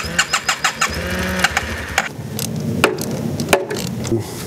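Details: 2009 Yamaha TMax scooter, neglected project, cranked while holding brake: starter churns in quick even pulses, engine coughs but never catches; crank no start, worn spark plugs suspected.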